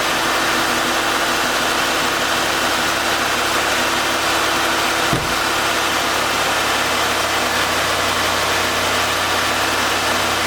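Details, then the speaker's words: 2000 Lincoln Continental idling after the belt tensioner was replaced and the coolant reservoir refitted, burning off spilled coolant. A steady, even hum with hiss and one brief thump midway; no squeal or knock is heard. "But anyway, it's back together. I'm going to go ahead and put the reservoir back on and fire it up."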